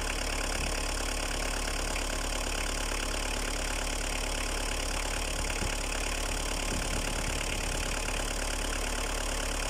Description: Opel Astra I, 1.7D athmo, 150.000 km, démarrage à froid, il n'avait pas tourné depuis 2 ans.